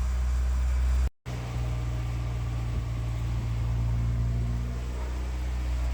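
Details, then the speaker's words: Porsche 944 project car, started with clutch held in: deep, uneven loping rumble with a brief stumble, barely running and not firing cleanly; owner says it's not running good; rough running. "it's not running good"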